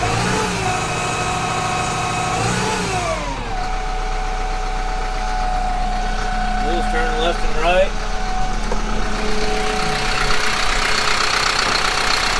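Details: Kubota M15GX diesel after engine rebuild: drops from a higher speed into a steady, even idle with a firm low beat and no knocks or misses; healthy, actual oil pressure still to be gauged.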